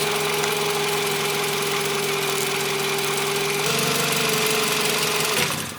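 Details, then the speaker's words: Car struggling to start, tested by removing the battery positive while running: steady high whine over a rough idle, then the engine dies abruptly; owner concludes the alternator is bad, with headlights also flickering. "yep it is the alternate that's what's causing the problem the whining noise the alternator is the problem"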